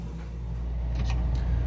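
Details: Whirlpool upright freezer, failed defrost board cut out and replaced with wired-in timer, thermostat and defrost terminator; after rewiring the compressor gives a steady low even hum that builds slightly, no knocks or rattles: running normally.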